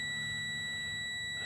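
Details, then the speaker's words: Low air pressure warning buzzer on a 2006 Freightliner M2 with C7 engine, key on, before a Bendix air compressor regulator replacement: steady high-pitched beeping as the system fails to hold air pressure. "so wait for that while wait for that and you hear that that beeping noise that's the beep noise you're gonna hear when your system is low on air"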